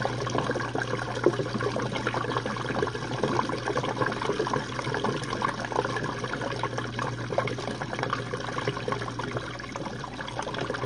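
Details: Jenn-Air dishwasher on Quick Wash cycle with no heat dry, one Cascade pod; final drain after last rinse: steady low pump hum under gurgling, splashing water, no rattle or strain. Normal drain.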